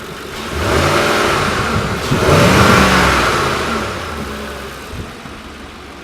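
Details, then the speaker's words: V8 pickup parked, revved twice and settling back: light mechanical ticking from the valvetrain, three valves per cylinder, which is perfectly normal. "the cool thing that I actually like about this v8 is that taking you can hear so there's three valves on each cylinder you can hear the ticking and that's perfectly normal it sounds super mechanical"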